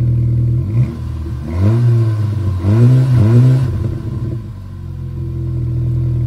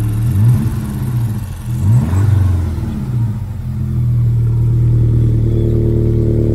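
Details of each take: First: VW Scirocco after replacing the faulty coil pack, revving to check for splutter (later second-gear full throttle to about 5,000 rpm): picks up cleanly on quick blips and drops back to a steady idle with no stumble; healthy. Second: VW Scirocco after roadside breakdown, started by recovery technician: rough lumpy running through blips and shaky idle; diagnostics showed low combustion in cylinder 3, misfire from a failed ignition coil.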